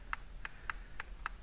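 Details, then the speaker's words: Porsche 981 Boxster climate control buttons, some sticking or not clicking: this working button gives five crisp, sharp clicks about a third of a second apart, each press snapping cleanly; normal switch click. "all right guys so i noticed something um that the buttons keep sticking some work some don't like this one you hear that nice click to it"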